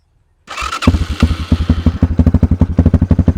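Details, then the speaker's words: Kayo K2 230 single-cylinder dirt bike cold start on choke after new lithium battery, not started for a few days; brief starter whir, then an even steady thump; starts cleanly, better than before. "This bike is a little cold natured, so I'm going to have to use the choke to start it up. It hasn't been started in a few days."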